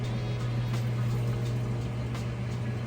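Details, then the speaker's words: Crosley top-load washer starting its spin cycle: steady low hum with soft, regular pulses as the water is extracted. The drum speeds up as the clothes get lighter. Normal, even spin. "All right, it's getting started spinning here. As it's spinning and extracting that water out, kind of hear it pulsating that extra water out there."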